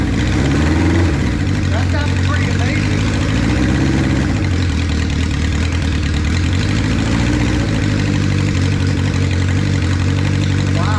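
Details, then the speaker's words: 1976 Honda CB550 Four, 10,409 miles, first start after 34 years unused, cold with choke just taken off: steady, even four-cylinder idle, smooth low burble through loud pipes, no knocks or misses, instant throttle response; normal idle. "Man, I mean, it sounds good. Those pipes are louder than I like, but I can't deny they sound really good."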